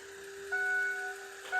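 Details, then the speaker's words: Ford 6.0 diesel pickup after oil, oil filter and both fuel filter changes: key cycled several times, short steady electric hum with faint rise as fuel and air are pushed through the system; normal fuel system priming. "you can hear the fuel and air going through the system [Music] i'll cycle that a few times"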